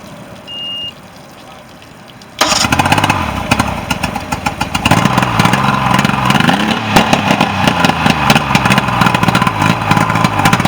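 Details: Mercury outboard on a Nitro boat, running after a no-start issue was repaired: quiet, then it catches and settles into a steady, even burble with no misses or knocks. Normal running.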